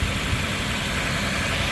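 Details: 2004 Lexus GX470 V8, after starter replacement and ground cable work: smooth, even idle with a steady low rumble, no ticking or stumbling; it now fires right away with no hesitation.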